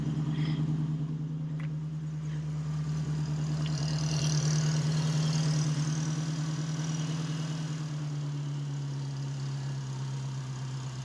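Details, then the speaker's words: 1968 Mustang Fastback V8 just fitted with Holley Sniper EFI 2, idle not yet programmed, idle air position at zero: steady deep burble sitting high and drifting as the EFI hunts to correct. High unstable idle before idle calibration. "we need to correct the idle you see it's kind of funky right now which one's the idle uh well the RPM okay so we're kind of high okay and it's trying to correct for it"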